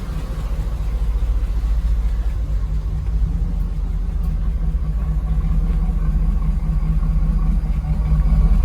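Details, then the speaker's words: 1991 Pontiac Firebird Formula WS6 V8 first start after sitting a year on 17-year-old Stabil-treated fuel; idling down after warm-up, deep lumpy uneven beat, sounds like it wants to stall; rough idle from old fuel, ran much better after fresh fuel. "Now it's idling down, sounds better. Actually sounds like it wants to stall out."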